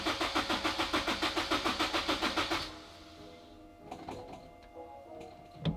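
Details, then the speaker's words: Turbo Honda S2000: starter churns steadily about three and a half times a second for nearly three seconds, engine never catches; cranks but no start, owner suspects fuel needs priming again. "so it's not starting but I think I'm gonna let it the fuel Prime one more time and it should start up"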